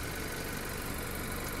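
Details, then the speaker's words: 2018 Honda Accord Touring, engine running at a standstill: steady idle with a light, fast, even ticking over a smooth hum. This is the normal direct injection sound. "you could hear that ticking sound that's kind of the direct injection sound"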